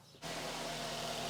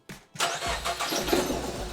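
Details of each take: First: Nissan X-Trail T31 with a P0303 cylinder 3 misfire, after earlier spark plug replacement and now all ignition coils replaced; the engine catches instantly and settles into an even, steady idle with no misfire; normal idle. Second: Nissan X-Trail T31 manual with a cylinder 3 misfire (P0303; spark plugs already replaced, ignition coil suspected) during coil-disconnect testing: lumpy, shaking idle with uneven stumbling beats; misfire, two cylinders not firing.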